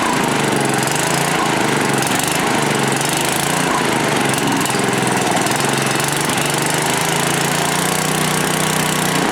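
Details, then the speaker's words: Manco Rattler II go kart, small single-cylinder engine on first start after rebuild, still cold, carburetor without choke; slightly uneven hunting idle beat, rough idle when cold; no smoke or ticks, accelerates well, owner thinks it may improve once warm. "so didn't run too too bad we'll have to see you know he saw no smoke it's not making any ticks it accelerates good it's still a little cold so maybe i gotta wait for it to warm up because this is not a carburetor with a choke on it"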